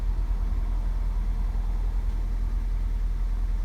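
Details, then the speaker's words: 2005 Nissan Altima 2.5 four-cylinder, 200,000 on the odometer, shakes badly on morning starts, code P0301: an uneven, lumpy idle. Disabling cylinder four shows a bad misfire there, and more than one cylinder is misfiring; it seems ignition-related. "okay so that dropped that it does seem like right now cylinder four is uh a bad misfire um so it gives us a little bit of direction we got more than one cylinder"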